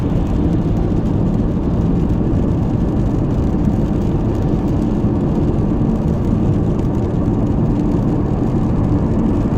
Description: There is a strange humming noise coming from engine/front of my car. However I was unable to locate where it is exactly coming from. I can hear it from 15 km/h but most clearly at around 80 km/h.